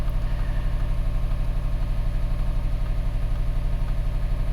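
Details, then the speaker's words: 2012 Subaru Forester SJ/SH EJ255 turbo at idle during scope diagnosis, with the bulkhead connector suspected: steady lumpy stumble over a low hum, a single-cylinder misfire from a bad connection. "The car is really missing. Let's go to the exhaust. Yeah, it feels like a single cylinder miss to me."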